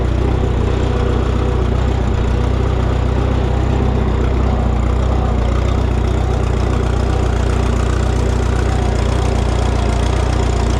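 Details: Minneapolis Moline GTB tractor restarted after reconnecting its unplugged temporary ignition coil: steady, even idle around three beats a second, no misses or knocks; normal idle.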